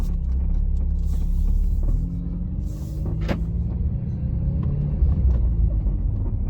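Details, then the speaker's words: Vauxhall Astra GTC VXR while driving: irregular dull knocks from front driver's side over road rumble, present since purchase; owner suspects front suspension arm, with a slightly cracking bush noticed. "what i'll try and do as well is i believe i do have a clip of the knocking itself i'll try and insert that clip here"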